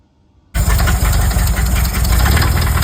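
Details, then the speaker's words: Used VW engine with fan belt off, after a valve adjustment where the mechanic could not get spark at first: heavy deep running note with a rough pulsing knock underneath, not the fan; engine knock, source undetermined. "So in the video he sends me, you can clearly hear the motor is knocking. Not good. He had the fan belt off, so it's not the fan making a clunk noise, not anything."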